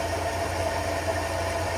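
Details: 1950 Studebaker Champion six idling with water circulating through a suspect radiator: even, soft idle with a steady low pulse and nothing irregular on top; runs smooth and healthy.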